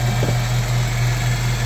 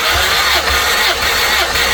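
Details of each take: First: EF Civic sedan after timing belt work and lapping the valves: a steady low hum over an even idle that does not change; source unknown, owner suspects the timing jumped. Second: Honda EF Civic sedan compression test during timing belt work, cylinder reading about 195 psi like the previous one; starter whirs at a steady, even beat, indicating even cranking compression.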